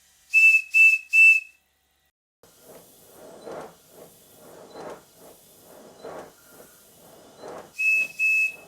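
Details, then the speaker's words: Miniature steam locomotive with cast iron cylinders, run on about 30 psi air on a rolling road, cylinder partly rusty: thin short whistle toots between soft, uneven exhaust beats; whistle weak from low supply pressure. "Out of curiosity, I'm feeding this locomotive with only about 30 pounds per square inch, as you can hear from the whistle."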